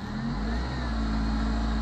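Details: Fiat Palio 1.0 8V after a workshop fixed the radiator fan running constantly, caused by added wiring fed straight from the battery positive: it catches and holds a smooth, even note that picks up cleanly, with no stumble, and the injection light is off.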